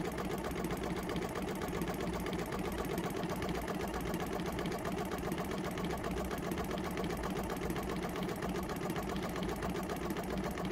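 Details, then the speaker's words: Jumper box air compressor with formerly seized motor, weak internal battery; fast choppy rattle about four beats a second that never smooths, like a misfire: motor still tight and labouring, owner hopes running frees it. "if i leave it on the side it almost sounds like a car misfiring it definitely sounds like that motor is a bit tight"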